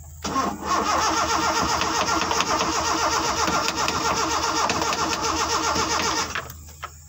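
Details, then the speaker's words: Car engine cranked while trying to start it without the ignition key, using jumper wiring: starter churns steadily for about six seconds, never catches, then stops. Owner suspects the wrong circuit was connected. "Ternyata tidak hidup teman-temannya, mungkin salah jalur yang kita sambungkan."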